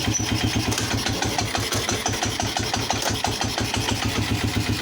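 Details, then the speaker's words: Polaris Phoenix 200cc quad, new battery, idling after idle bumped up: lumpy single-cylinder idle with rhythmic clatter and lurch when put in gear; primary clutch assembled incorrectly, later cleaned and rebuilt. "If you're a keen-eyed viewer, you probably saw that I put the clutch together incorrectly. The primary was not correct, so I took it apart, cleaned that up, and let's see what we got here."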